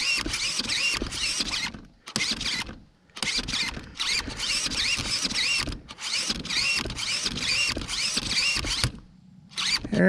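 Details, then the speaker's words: Primal RC Raminator monster truck steering servo stripping: short bursts of high wavering whine with occasional clicks as worn gears slip; it sometimes turns fully, sometimes stops. "This servo's stripping now. Sometimes it'll turn all the way, then sometimes it will just stop."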